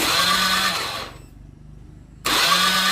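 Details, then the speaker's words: Honda Beat FI scooter with no spark and no injector spray, cranked to check fuel: two bursts of starter whirring with a pause, engine never catches; injector sprays nothing, so the signal from the ECU to the injector is missing. "Nah, dia tidak menyemburkan minyak sama sekali. Berarti pemberi sinyal menuju ke injektor tidak connect."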